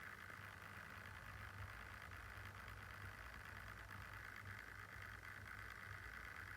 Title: Lenovo Yoga Slim 7 - 4800u idle fan noise sounds errorous